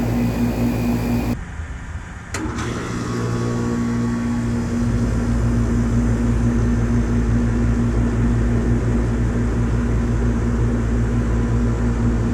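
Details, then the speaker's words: 1995 Tempstar 5000 air conditioner condenser, 30 years old, at its first startup of 2025 after sitting since about October: a click and surge, then the compressor settles into an even low hum with steady fan drone; normal startup. "All right, she's on. Getting warm. Hear the compressor getting the juices flowing."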